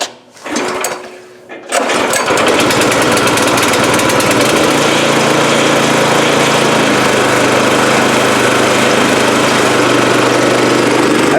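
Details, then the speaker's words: Brand-new Yard Mate 212cc gas rear-tine tiller, model YRTT212, first-ever cold start on choke: two pull-cord tugs, then it catches and settles into a steady, even, fast single-cylinder putter with no knocks; started up pretty good. "thing started up pretty good. 2 pulls."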